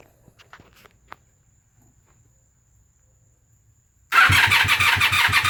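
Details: 1997 Honda Magna VF750C V4 motorcycle: the starter spins the engine steadily at about three turns a second but it never fires, even with starter fluid, after new plugs and wires, a new battery, cleaned and bench-synced carbs, fresh fuel, and vacuum lines checked.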